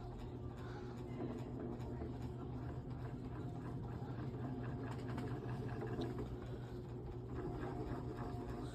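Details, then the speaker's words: Vintage Dayton (Lasko-made) 16-inch brown oscillating desk fan on low speed with oscillation engaged: quiet low hum as the fan drags down, oscillation load slowing the motor until it stalls humming. "Now the problem with the oscillation, it slows the fan down a lot."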